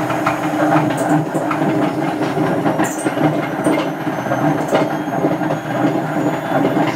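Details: Hotpoint First Edition FEW12 washing machine, left outside for months, on spin: constant rough rumbling roar with rattly clicks throughout; extremely worn drum bearings.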